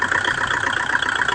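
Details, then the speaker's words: Kubota rotavator diesel that would not start, now running: small diesel ticking over at idle with a steady, even clatter, no misses or odd knocks. "Andar na siya guys. Pusogutso. So okay na guys."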